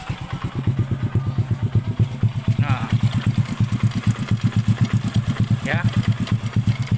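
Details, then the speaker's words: Honda Blade (early model) motorcycle, cold engine at idle after replacing camshaft bearing for a rough grinding engine: light quick ticking from the newly fitted automatic cam chain tensioner not yet filled with oil; should quiet down once oil fills. "Nah ini ada krecek-krecek sedikit itu e apa namanya tonjokan si otomatis tonjokan ketengnya belum terisi oli ya Jadi ada ada kretk-ketk sedikit"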